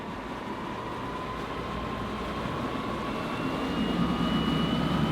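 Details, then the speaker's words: Ingenity all-electric Nautique GS22E wakeboard boat under way heading out on the water; faint steady transmission whine above the rush of water off the stern, rising slightly with speed, quiet enough to hear voices; normal, healthy drive. "you can hear the whine of the transmission a little bit. More importantly, you can hear me right now."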